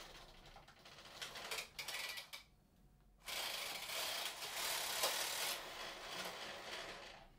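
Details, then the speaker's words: Borrowed Brother 930 knitting machine with AYAB interface board under debugging: fast, uneven mechanical clicking and rattling as the carriage travels, with a pause partway; software advances through rows but no needles are selected, and the cause is unknown. "this boy does not work but I don't know why and like you can kind of hear the mechanism moving under there and the software was advancing through the rows so it's getting signals about where it is on the bed"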